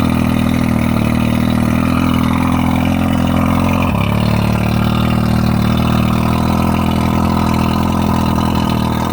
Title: Rough idle and misfire 1995 115 Merc 2+2.